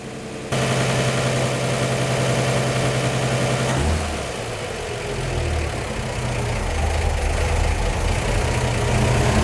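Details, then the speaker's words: 1949 Chevy 3100 235 six with dual Carter Weber 32/32 carbs, warmed up, choke fully off, idling at 616–650 rpm (timing spec 12° BTDC at 650): slow, even beat, no knocks or misses; its smoothest achievable idle, normal. "choke is totally off now and you can see i'm idling between 6 16 to 650 rpm which is about the smoothest i can get this engine to to idle"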